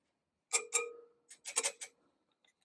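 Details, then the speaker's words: 2018 BMW R1200GS, about 350 miles at purchase, rear wheel spokes tapped one by one: some ring clear, others dull and short, marking loose spokes among tight ones (14 rear found loose). "you're gonna take this you listen to the sounds basically it's one there then move it there to play you can hear the difference"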